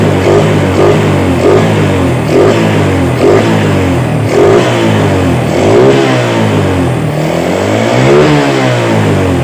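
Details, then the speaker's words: Yamaha Vega R motorcycle after its faulty carburetor was serviced and refitted, being blipped repeatedly. Revs rise and fall cleanly with no stumble or pop, with faint music behind; normal revving. "jadi kita rapikan jadi motor sudah normal yang teman-teman bisa teman-teman dengarkan"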